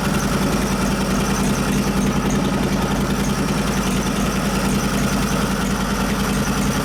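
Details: 1989 Harley Softail with 93ci Panhead engine, Mikuni HSR42 carb after rebuild, rejet and adjustment: even, lumpy V-twin idle with a steady low thump, no misses or popping; carb now settles and holds idle.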